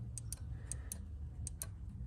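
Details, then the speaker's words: Hood latch alarm sensor switch on a 2nd-gen Toyota Highlander/Kluger, spring removed, worked by hand: sharp clicks in quick pairs, switching cleanly; grimy or gummed-up switches can trigger false alarms, to be cleaned with WD-40. "there's a little sensor switch and you can hear it clicking away"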